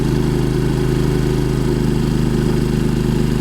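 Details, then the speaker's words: Champion 3500 dual-fuel inverter generator powering travel trailer loads incl. 15,000 BTU AC: steady even drone, firm low pulse, no surging; normal running under load. "all right again I dropped to about 115 on the voltage meter and back right up to 120 relatively quiet 8283 decibels"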